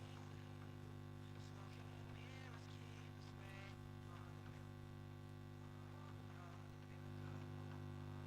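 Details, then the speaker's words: Telefunken Operette 8 tube radio under restoration, about 218 V, external long-wire antenna, Wi-Fi noise removed, full volume: loud steady low hum with station barely audible; weak FM reception, cause not yet found. "so we have a problem with the FM it's not as bad a problem as I had before because you do pick up something barely which isn't a bad sign at least there's something"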